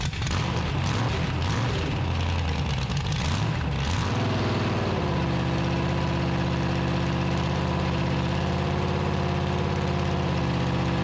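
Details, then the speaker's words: 1974 Dodge D100 with a 383 big-block, solid lifters and headers, run on a cold morning after timing advanced: deep, steady V8 idle with even lope, no ticks or knocks, no funny noises; normal idle, idle to be raised slightly. "sounds pretty good though sounds good do it huh yeah no funny noises if you make the exhaust loud enough you don't want to hear anything"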